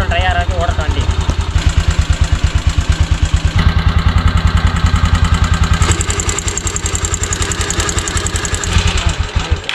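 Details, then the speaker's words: Single-cylinder petrol motorcycle, started and left running to use up all the petrol before a gas conversion; slightly uneven thumping idle that thins and fades until it stops completely, stalling from fuel starvation. "ஃபுல்லா stop ஆயிடுச்சு. இப்ப திரும்ப பாத்தீங்கன்னா குடுத்து போட்டு பாப்போம்."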